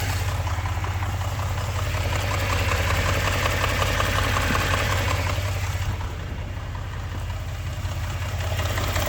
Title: engine knock 3